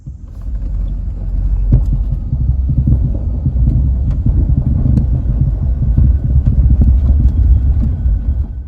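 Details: 2002 GMC Sierra driving after a new steering shaft bushing, sway bar end links and sway bar bushings: low road rumble with only scattered light ticks, no front-end clunk or rattle; steering and suspension sound tight.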